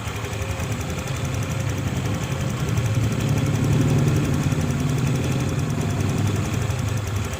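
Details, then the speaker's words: Honda Click 150i first start after a budget rebuild with new connecting rod, piston, rings, pin, head gasket and coolant hose O-rings, original crank bearings kept: a steady low putter at a settled idle with no ticking, knocking or hunting, and it sounds healthy. "คลิปนี้ก็เป็นคลิปสตาร์ทเครื่องให้ฟังเสียงนะครับก็ได้ยินเสียงเครื่องกันแล้วนะครับ"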